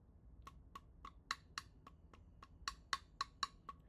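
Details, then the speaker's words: Coin tap test, a nondestructive check on honeycomb panels: sharp, bright ringing taps at an uneven pace, about four per second. A solid ring means undamaged material; a thump means damage or water inside the honeycomb. "Undamaged material produce a solid ring sound while damaged areas will create more of a thump."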